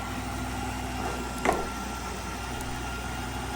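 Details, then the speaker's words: Mercedes S600 (W221) during service: the pump is cycled by diagnostic software and lifts the car, giving a steady, even hum with a faint constant tone and one brief clunk, with no loud noises under stress. Normal hydraulic pump operation. "the pump sounds good there's no real loud noises from the pump you can hear when it's under stress and um it didn't really make any noise there so that's good to hear"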